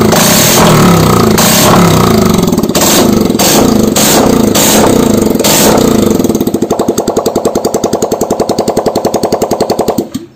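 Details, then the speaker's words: Honda Vario 125 LED scooter after piston and head replacement, running with the exhaust/muffler removed: loud, open, rapid popping settling to an even three or four pulses a second; normal idle, no white smoke from the exhaust port. "Nah untuk di bagian xhost di bagian eksesnya ini sudah tidak mengeluarkan asap putih"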